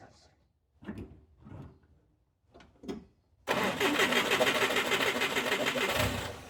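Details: Mitsubishi Jeep J3/J10 being recommissioned, carburettor overflow under investigation: steady starter churn about three beats a second with no catch; engine cranks but won't start, misfiring suspected, not confirmed.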